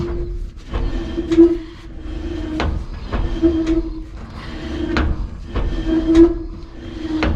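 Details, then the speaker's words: 1992 GMC Sonoma GT rear wheel spun by hand after loosening brake hardware: rhythmic scrape with brief squeal about once a second as it coasts; rear brake dragging, master cylinder internal problem suspected. "all right now i'm gonna spin this wheel again see if we hear the same noises which we do is not good"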